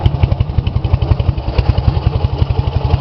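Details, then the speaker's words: Ural 650 twin upgraded with 750 heads, forged pistons, Herzog gears and a 10:35 final drive, 9,000 km on this setup, with mid-90s Harley Softail pipes. Strong, regular thumping about three beats a second with no rattle or misfire; normal running. "As you can see, it runs really good, like a BMW or better. You just have to do right modifications for it to run properly."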